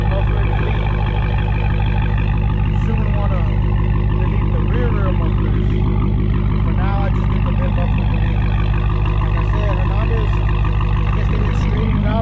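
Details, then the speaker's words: Dodge Challenger Hellcat with mid mufflers deleted, recorded from outside after an exhaust shop fixed a rattle/shake: deep, even V8 burble with steady low pulse, no rattle or buzz; normal exhaust note after repair. "she did it right got her figs she sounds good no more no more rattling no more shaking yes sir let me go ahead and show you how she sounds from the outside"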